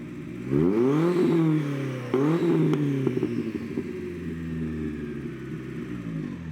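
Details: Toyota Corolla 2E engine revved with a press-button (not time-based) relay ignition cut: sharp revs, then rough popping crackle as ignition is cut mid-rev; big puff of black smoke follows, and it needs slight tuning.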